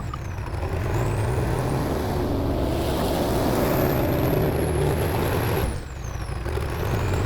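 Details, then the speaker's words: TD8E bulldozer diesel after topping up low transmission oil with universal tractor oil instead of the specified Hydran. It idles okay but drones unevenly, dips in pitch, and builds RPM slowly with a "helicopter" sound: engine bogging under load. "I am still having that issue where the engine changes sound and it's having a hard time um getting the RPMs uh high. Um it it sounds like a helicopter when when you're trying to push something."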